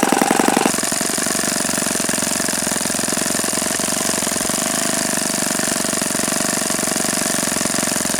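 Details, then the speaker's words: Repaired OS FS-48 Surpass glow four-stroke (blown-out crankcase repaired) on stand, bearing check: fast, steady buzzing drone at even revs, no grinding or rumble; nothing sounded like bad bearings. Normal running. "But honestly, I didn't hear anything that sounded like bad bearings when I was running it."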